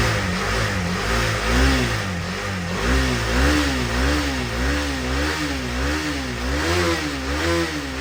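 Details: 2018 KTM Duke 250 left dead one year, first cold start after charging and reinstalling battery: catches and holds a steady idle, smooth blips rising and falling, no knocks; running fine.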